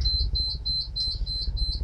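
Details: ClimaCab unit sounds its low-battery alarm, a steady train of shrill beeps about eight per second over a low rumble, after 10 hours of driving. The owner says the batteries were checked multiple times and are fine. Incessant low battery warning beeping.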